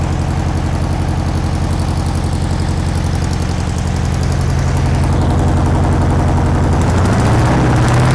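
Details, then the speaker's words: Long-stored air-cooled VW Beetle engine (sat decades) on first run, carburettor not yet cleaned: lumpy, uneven idle that hunts, stumbles and dips near stalling; rough idle, uncleaned carburettor suspected. "doesn't really want to take over properly but you can't blame it for that I haven't even cleaned the carburetor yet"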